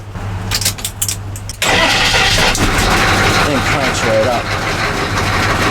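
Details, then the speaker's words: 1985 M1028 CUCV with a GM 6.2L diesel on its stock dual exhaust, started cold: a loud, rough clatter with a loose rattle from crooked, low-hanging pipes. Exhaust rattle from loose brackets, with a hole suspected. "oh that sounds terrible we got loose brackets listen to that that sounds terrible and it looks terrible all crooked and so low"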